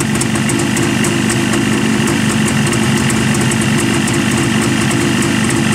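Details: Jawa two-stroke motorcycle idling warm: steady even burble with a crisp fast patter on top and no knocks or rattles. Healthy idle.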